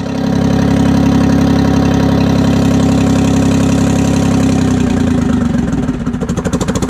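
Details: 1968 Detroit (GM) 3-53T two-stroke turbo diesel, first cold start after total overhaul, engine 4.5°C/40°F, outside -3°C; strong even drone settling to steady idle, no misses, then winding down smoothly; good oil pressure, no leaks; normal idle.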